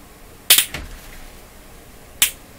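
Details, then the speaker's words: EICO Model 460 vacuum-tube oscilloscope powered up on reduced voltage while checking CRT: two sharp crackling snaps over a quiet hum, like an arc or pop, seemingly toward the front; cause unknown. "okay that was interesting that sounded like it was up towards the front um I'm not sure I'm going to go much further with this oscilloscope here because I'm scared"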